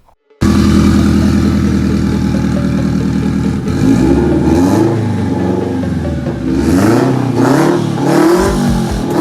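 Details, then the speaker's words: First start-up of a freshly finished FRS build, after the hotside wrap, oil pan bung and plumbing were done, planned to run on 93 octane: catches straight away, idles evenly, then revs up and down cleanly, sounding WRX/STI-like; runs well. "There it was. A little startup video for you. Sounds kind of like a WRX or something like that. STI, whatever."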